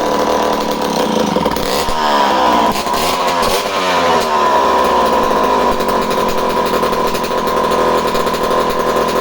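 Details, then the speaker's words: Homelite C51 chainsaw right after starting: high thin steady scream with slight early surging, running slightly lean; suspected fuel draining back from the carburetor, with a damp pump body seal needing attention. "Did you hear how I initially started it? It just started to run a tiny bit lean, indicating to me that the fuel was already kind of traveling back away from the carburetor,"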